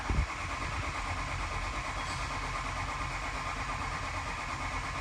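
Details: 2007 Ford E350 6.0L diesel that runs, stumbles, stalls and struggles to restart. It catches after a short crank and idles rough and unevenly. Diesel stumble after restart; cause still unclear.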